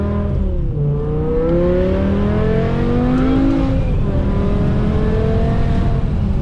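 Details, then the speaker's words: BMW E60 M5 S85 V10 after replacing cylinder 2 and 3 coil packs and the ionic module for rough cold start and misfire: pulling under power with AC off, engine note climbs smoothly to redline without stumbling or falling off at the top end; healthy pull. "But the question is, will it get up on the power? That's gonna be the question. All right, so let's see. Let's go AC off just for a second, even though it should. On the power, it's nice and smooth now."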